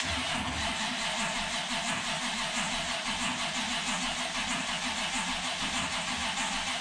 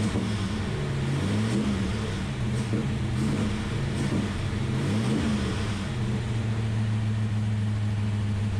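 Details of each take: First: Ultima GTR V8 sitting unused 7 years in a warehouse, first start attempt with battery connected and no oil leaks seen: long steady cranking before it finally fires, then oil pressure present and poor revving because super cold; extended cranking before starting. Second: Ultima GTR V8 supercar sat 7 years unrun in a warehouse, cold, no coolant yet, oil pressure confirmed: even idle then several clean throttle blips, pitch rising and settling without stumble or knock; healthy, no apparent injector problems.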